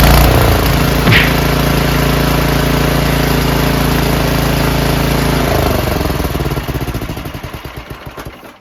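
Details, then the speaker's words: Snowblower engine started on 110 V AC electric starter after 4 years stored winterized; catches, steady even drone for several seconds, then slow thumping coast-down at shutoff; no carburetor clean needed; normal start and run. "I thought for sure I needed to do a carburetor clean, but I guess not."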